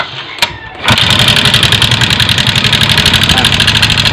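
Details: Yamaha Mio M3 125 FI scooter engine just after starting: a fast, light metallic tick rides over the idle; rough, knocking engine traced to a damaged rocker arm pad in the valvetrain.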